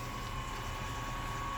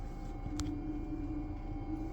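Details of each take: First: Brand-new Spike Flow brewery pump moving water from a bottom-drain kettle through a 1.5" tri-clamp line: steady high whine near 1 kHz over a liquid rush and motor hum; the whine may fade as it breaks in. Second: TopsFlo TD5 24V DC brewery pump running with its outlet submerged in the kettle: faint, steady low hum at one pitch, barely any vibration, no rattle or grinding; normal pump running.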